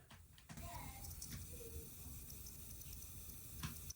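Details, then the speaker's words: Toilet with tank lid off: faint constant hiss as a failing fill valve slowly leaks water into the bowl, wasting water rather than leaking onto the floor. "So that's slowly leaking water. It's not leaking it onto the floor, it's still staying in the toilet, but you're going to be wasting water."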